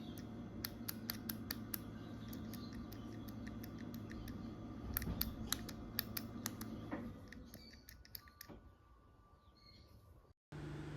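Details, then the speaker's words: Jaguar XJS V12 fuel distribution block bench-tested by applying power to each injector valve: sharp clicks about four a second, then the last valve gives nothing. One failed valve, so a whole new module was ordered. "you you'll hear clicks on each one and then this last one doesn't do anything so I had to order a whole new module"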